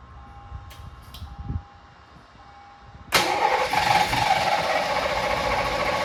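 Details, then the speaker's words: 1986 Mustang GT 5.0 V8, stock long block with A3M EEC conversion and 76mm MAF, started with ether after spark issue fixed; starter whirr then rough uneven burst with no steady idle, starts then stalls, owner suspects bad fuel pump. "We put in a freaking bad fuel pump, man. How is that even? I guess it just went dead, just went bad over time."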